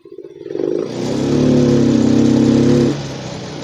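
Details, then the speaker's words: Yamaha Mio M3 125 injected scooter, injector cleaned, fuel pump and TPS normal, limited to about 20 km/h: throttle opened slowly, revs climb lazily, flatten and sag while throttle still opening; faulty ECU causing hesitation, not wiring. "Nah, saya menemukan masalahnya hari ini. Masalahnya ada di ECU. Jadi, masalahnya bukan pada kabel, tetapi pada ECU."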